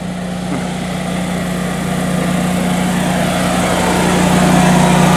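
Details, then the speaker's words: Generac home standby generator running with no load, heard from outside the unit, described as not very loud from inside the house: steady, even drone with a constant low tone, no knocks or surging; runs smoothly. "You can kind of hear it running right now, but really it's not too bad. From inside the house, it isn't all that loud actually at all, so we do have good insulation for the house."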